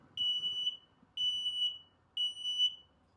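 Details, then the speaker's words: Wayfinder Go Lite RV carbon monoxide/propane detector: loud, high electronic beeps about once a second that continue while it detects gas, as opposed to a chirp every couple of minutes for a low battery. "If not, it'll sound like this, and it'll keep beeping like that if it does detect something."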